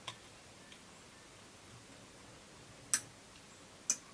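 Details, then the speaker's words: Old Demon 2C model speed controller being repaired on a bench supply: sharp single clicks about a second apart as the throttle is moved through positions, the relay switching on and off properly. "actually hear the relay operate as I turn this to one position clicks there clicks off"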